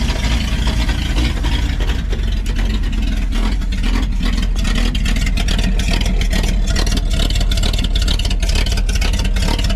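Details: 1952 Packard 327 straight-eight, after removing the exhaust down tube and plugging the manifold vacuum leak: loud, deep, even beat on open pipes with no misses or stumbles; runs smoother, oil pressure about 20–25.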